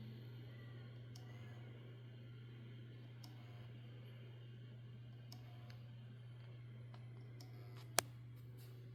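Faint, irregular light clicks over a steady low hum, with one sharp click near the end; a drive clicking instead of working.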